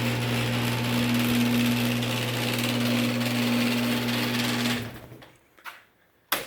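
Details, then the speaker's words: Genie screw-drive garage door opener run with the door arm unhooked: steady even motor hum for about five seconds, then stops; very quiet, smooth normal operation. "all right here it is without the door very quiet yeah this is honestly it's got to be the quietest genie screwdrive i've ever heard"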